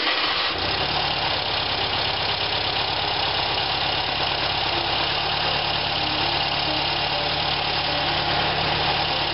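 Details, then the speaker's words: 1973 VW engine, diesel fuel in it, alternator loose and not strapped: steady even idle with smooth fast pulse, no knocks or rattles after sitting a minute; normal idle. "crank it up again and see what we think after it's set for a [Applause] minute actually sound pretty good to me"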